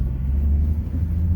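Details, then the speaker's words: 2011–14 Mustang 3.7 V6 with BBK catted X-pipe, six-puck clutch and aluminum flywheel, test drive after fixing a ticking header/flange leak: deep, even exhaust rumble, no ticking or puffing; exhaust now sealed and normal. "let's listen exhaust leak it's gone oh it worked oh that's so much better"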